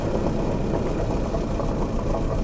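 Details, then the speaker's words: Land Rover Series 3 109 misfiring, plug-lead disconnect balance test; pulling a lead makes the rough idle noticeably worse and lumpier, so that cylinder is firing, plug two judged good, owner suspects plug one is the issue. "so that's a noticeable difference I don't know if that comes out on camera um suggesting that this one plug two is is good and perhaps plug one is an issue"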